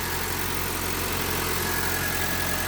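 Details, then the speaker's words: Honda Civic after replacing the noisy belt tensioner bearing and idler bearing: smooth, even idle with a steady low hum and no chirp, squeal or rumble from the belt area; the noise is gone. "Okay na, okay na. Wala na yung ingay ng kanyang tensioner bearing at idler bearing."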